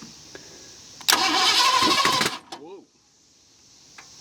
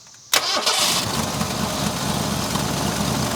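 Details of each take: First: 1970 Ford Mustang V8, abandoned for years, throttle pegged wide open: starter grinds about a second then a sharp pop out of the open intake manifold; backfire while cranking. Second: 1970 Ford Mustang V8, just revived after years abandoned: quick catch then an even, steady cold idle with no knocks or ticks, 55 psi oil pressure at cold idle; healthy engine.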